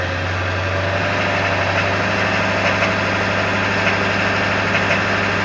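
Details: 1999 Ford F350 7.3L diesel in gear at high idle: steady clatter over the drone with faint knock; source unknown.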